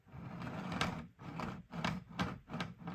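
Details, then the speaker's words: Model railway layout after ballasting, rail tops scraped with a knife, deep-flanged carriage run along track: soft rolling rumble with sharp clicks about every half second as the wheel hits a missed leftover bit on the rail; debris found. "So, there's something right there. And sure enough, do you see it there? I missed one. So, the the um a piece of rolling stock will tell you when you've been uh a bit unobservant."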